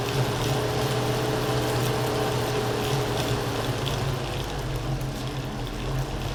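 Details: Elite Direto smart trainer after eight weeks and hundreds of kilometres, rapid resistance changes on Zwift: steady low hum with faint higher tone shifting slightly with resistance; normal motor hum, a non-issue during training.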